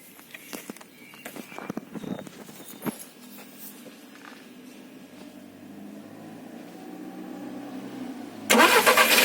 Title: Golf 6 1.4 TSI timing chain error rattle noise